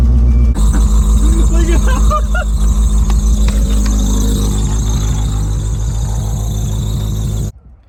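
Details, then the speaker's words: 1987 Honda Accord carbureted four-cylinder, spark plugs back in after compression readings of 150 and 157: catches and settles into a fast, even idle with no stumbling or misfires, but the revs sit clearly too high. "Seemingly no more misfires, but now we have the issue of it revving too high at idle."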